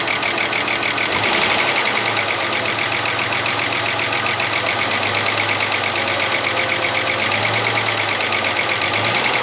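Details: 30-year-old Ford Falcon one-tonner revived from a paddock, idling cold: light, quick tick about four per second over an even idle, very chattery; owner suspects a stuck lifter, possibly a cylinder down, and plans to warm it to pump the lifter up.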